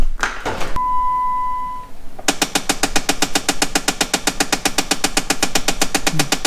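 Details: Jeep Wrangler: rapid steady clicking from behind the dash after a chime, when adjusting AC or heat or unlocking the doors, a failing HVAC blend door actuator.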